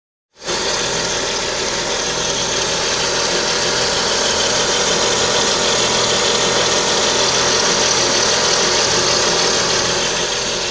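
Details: Lada Kalina with the 11194 engine at idle: a steady high whistle over an even idle that never changes. Timing belt suspected as the source.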